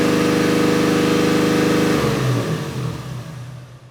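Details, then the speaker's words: 2JZ-swapped Toyota van engine holding a fast steady idle with no pedal input before dropping away; high idle from corroded throttle body sticking partly open, throttle cable suspected stuck. "So it is still revving high. Doug thought that the throttle cable was stuck, the throttle body was stuck, and he got the pedal to actually respond."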